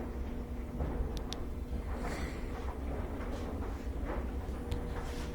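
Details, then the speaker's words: Whirlpool direct drive washer after reassembly, almost no load: low steady hum with rushing water, no knocks or grinding, no leaks; normal drain. "during drain it's draining really good i don't see any leaks after the reassembly"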